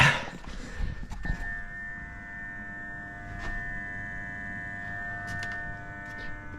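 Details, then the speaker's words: BMW E36 2.8 that refuses to start, ignition on with engine off: a steady fixed-pitch electrical buzz at the throttle body, felt vibrating by finger, suspected electrical issue; the idle control valve buzzing. "so this buzzing sound I know if you can hear it while it's coming from around here like if I put my finger on the throttle my throttle body I can feel it like vibrating so it sounds and it feels like it's um some electrical issue"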